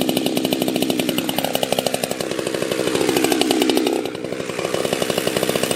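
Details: Husqvarna 365 chainsaw rebuilt to a 52mm build, first full assembly, around heat cycle 3.5: fast crackling two-stroke that surges and sags with wandering revs; carburettor tuning still off, cause unknown.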